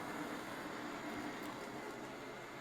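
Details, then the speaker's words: Eufy robot vacuum that moved aimlessly with no beeps, after its sensors were cleaned: soft, even whir of the fan and brush motors with faint wheel ticks and no stalling. Normal movement is restored. "Okay, it's running like a champ again."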